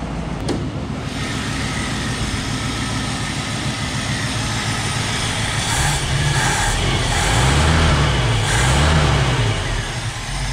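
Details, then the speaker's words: 1969 Mercury Cougar Sport Special, 351ci Windsor 2V V8, revived after about 20 years sitting, once fuel worked through the carb after a plugged tank pickup; worn but functioning accelerator pump: deep steady V8 burble, smooth light blips, running cleanly. "yeah running good i mean i'm impressed"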